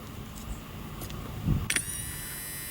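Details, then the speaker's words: Honda Odyssey sliding door closer motor, removed from the latch mechanism and powered directly with 12 V, clicks and spins up to a steady, even whine both ways; the motor is healthy and the mechanism is jammed. "Goes fine the other way. So the problem is not actually the motor, the problem is that the rest of the mechanism is jammed."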